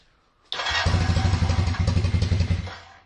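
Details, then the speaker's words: Kawasaki KZ440 twin, single carb after cleaning passages, idle raised, pilot jet suspected clogged: brief slow, lumpy putter as if only one cylinder firing, one cylinder warm, other not; running on one cylinder. "sounds like only one cylinder not cylinders warm that cylinders warm"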